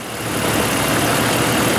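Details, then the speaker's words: 1988 Jeep XJ 4.0 six after new rod bearings and lifters to cure a knock: steady, even smooth quiet idle with no knocking or ticking, injectors audible; normal idle, knock cured. "Anyway, you can hear it smooth and quiet,"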